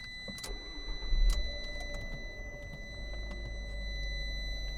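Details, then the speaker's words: 2012 Fiat 500 Pop Cabrio, 5-speed manual, 34,000 miles: short crank, catches at once, settles to quiet even idle with Fiat's startup chime; normal healthy start. "the classic beep there from the Fiat as it starts"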